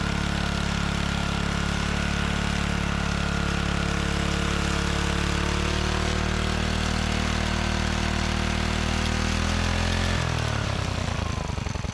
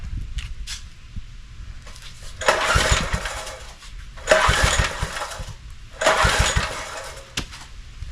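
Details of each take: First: John Deere 3 hp tiller recovered from tall grass: small single-cylinder engine runs at a steady, even beat then winds down cleanly at shutdown; normal running. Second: Neglected John Deere tiller, new spark plug fitted, choke closed and throttle fully open: three pull-start bursts that spin without catching. Plug is wet, so fuel is arriving; owner suspects not enough air.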